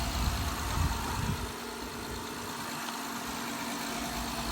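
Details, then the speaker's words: 2012 Honda Odyssey after replacing the rocker arm oil pressure switch for code P3400, with fresh oil. A quiet, even idle with a steady low hum and no knocks or ticking: normal idle after repair. "we fix the problem we're going to start it up here you go it's brand new again"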